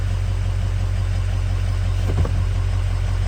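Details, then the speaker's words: 2003 Ford Excursion 6.0L diesel after replacing both fuel filters: deep, even idle pulsing at about three beats a second with no stumbles, much smoother than before; the fuel filter warning light remains on. "but the car sounds a lot better than it did I should have shown you all what it sounded like before I replaced the filters it's idling much nicer right"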